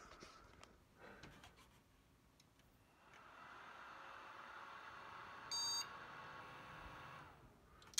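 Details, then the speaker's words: Asus Zenith Extreme Threadripper build: with RAM in slots B1, A1, C1 and D1, the PC powers up with fans whirring and gives one short single beep instead of the usual three-beep memory code. "turn it on and I would imagine we're still gonna get the two beep codes 3v kids okay we got a single boot code that time which is interesting one single beep code"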